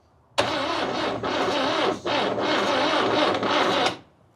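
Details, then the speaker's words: 1969 Toyota Corona parked 33 years, new plugs and wires, spark confirmed, fed from a jerry can with added fuel pump: sluggish, uneven cranking about three seconds with sagging speed, never catches. "Thing doesn't sound real good on the crank. I wonder why."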